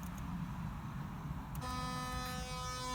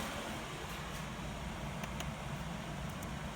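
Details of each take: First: Engine cooling fan under MS3 Megasquirt PWM control at the highest frequency and 10% duty: a steady buzzy electrical hum with no spin-up. The motor is powered too weakly to turn the fan. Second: Engine cooling fan PWM-controlled from a Megasquirt through a module that always outputs 19.2 kHz, ramped around 25% duty: a soft, even rush of air with no whine or buzz. Normal quiet fan operation, even at slow speeds.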